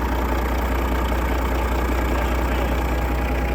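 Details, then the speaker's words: Detroit DDEC diesel truck after sitting 11 years: fires right up to deep, even, steady idle, no misses or knocks; good oil pressure, air pressure, voltage. "Holy crap. Wow. That thing fired right up."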